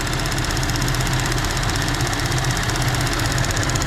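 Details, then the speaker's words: 2014 GMC Acadia petrol engine idling, not fully warm: fast, light ticking like lifter tick, louder as the engine warms, from a bad purge valve; quieter once it is unplugged. "There's the ticking. You can really hear it now. Sounds just like lifter tick."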